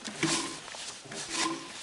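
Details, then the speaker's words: Jeep Comanche bearing spun by hand during bearing replacement: two rough, growling swells with a faint whirring tone, indicating a worn bearing. "can i can hear the bearings there that's one of them"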